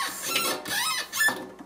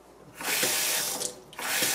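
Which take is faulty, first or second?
first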